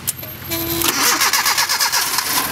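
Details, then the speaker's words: 1987 Nissan D21 pickup, Z24 four-cylinder, after fuel pump replacement: starter whirs briefly, engine catches and settles into a steady, even idle with no misses or knocks; normal start and idle. "yeah ah what's good with it hers like a kitten hell"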